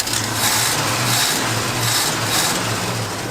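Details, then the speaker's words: GMC Jimmy (1977, or 1978 per owner) revived after years in a barn, carbureted, after a carb base gasket leak: steady, slightly lumpy idle with no misses. It runs extremely rich, almost diesel-like, and the accelerator pump may need adjusting. Normal idle. "go get an exhaust clip this thing sounds good it's extremely rich but it was if i didn't know better i would have thought that was a diesel"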